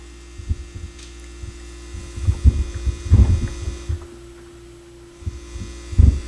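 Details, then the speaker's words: Sony PS-X70 turntable played through a stereo, with intermittent hum and a lost left channel: a constant low mains hum drones under handling thumps and worsens as the cable is moved. A bad RCA signal cable is letting ground hum in; the RCA cables are being replaced. "but that's a that's a worse hum all right so we got some bad RCA cables"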